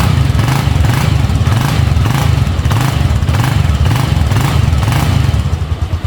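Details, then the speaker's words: Bajaj Avenger 220 after a home service with an oil change and new Bosch spark plugs: steady, even single-cylinder thumping idle with no skips or misfires, smoother after the oil change. Normal idle. "Oil போட்ட உடனே இவ்வளவு super difference எதிர்பார்க்கவே இல்லை oil ரொம்ப சூப்பர்பா இருக்கு நல்ல அந்த dot response ரொம்ப நல்ல டிஃபரன்ஸ் இருக்கு ஸ்மூத்தா இருக்கு"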